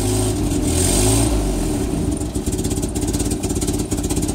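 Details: 1961 Land Rover Series II, cold with choke on, running rich, after new muffler install: slightly uneven idle with sharp ticking puff in time with firing; exhaust leak where the downpipe meets the manifold.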